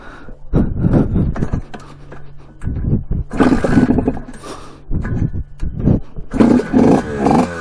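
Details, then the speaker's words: 1979 Suzuki RM125 two-stroke, stored 15 years, about 155 psi compression, first ride: uneven buzz dropping out and catching again, sputtering; owner suspects lean running, possibly from a loose intake clamp, with the air filter also in question. "but it does sound like it's running a bit lean which is not good you can hear it kind of sputter"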